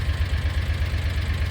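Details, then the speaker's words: Kawasaki Mule 4010 (2013-2018 era) UTV after fixing low-idle stalling and jerky low-speed running; even, steady low thump at idle with regular pulse, no stumbling or dying; no longer stalls downhill or at brief stops. "It doesn't jerk anymore, and it doesn't turn off whenever you're going downhill, and if in between little breaks, like moving a stick out of the way or something, it won't turn off."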